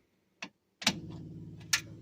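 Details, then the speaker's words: 1966 Dodge Charger, not started in a while, key on after adding a relay for the electric fuel pump: a couple of sharp clicks then steady low electric buzz as pump primes; healthy fuel pump. "All right, let's hear. Should hear the fuel pump."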